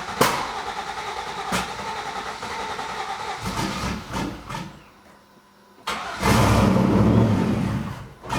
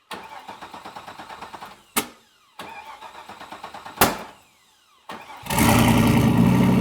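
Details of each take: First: Turbo Z28 Camaro first start on new ECM wiring and base tune: cranks, catches, stumbles unevenly, shaky revs in two surges; just needs more fuel. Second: Turbo LS1 Z28 Camaro with a stock cam, in January. After a couple of cranks it fires into a loud, choppy, loping idle programmed into the ECU tune ("Ghost Cam") to mimic a big cam; this is intentional, not a fault.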